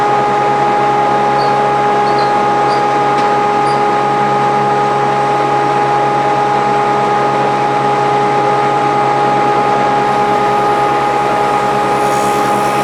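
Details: Grizzly G0458 18in open-arm drum sander, reassembled after breaking down: steady hum with constant mid-pitched whine and even airy blower rush, no wavering or rubbing; motor runs smoothly.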